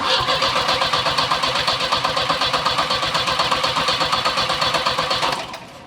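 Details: Volvo 740 with big turbo: starter cranks and the engine catches but dies as soon as throttle is applied; spark confirmed, suspected inconsistent fuel delivery, main fuel pump suspected not working; cranks but won't keep running.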